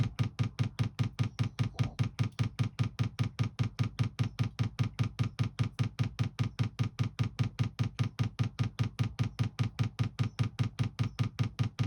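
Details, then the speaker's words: 2 kW Chinese diesel heater newly fitted in a VW T4 camper, after manual priming fills the fuel filter, heater turned on properly: crisp evenly spaced fuel pump ticks about two and a half per second, priming normally. "I've got it as far as I can tell all the way through I've just turned it on again properly and the pump's just starting to pump"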